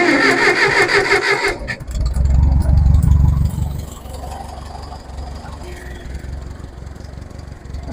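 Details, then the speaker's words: Massey forklift start during servicing on the farm. It cranks briefly, catches cleanly and settles into a steady, even low idle with no knocks or misses; sounds healthy. "not so bad guys I like that that sounds pretty good"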